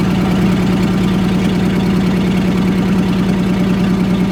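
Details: 1947 Chrysler Royal, old junkyard car recently revived: engine settled into a steady low idle with an even, regular beat and no knocking; runs fine, normal running.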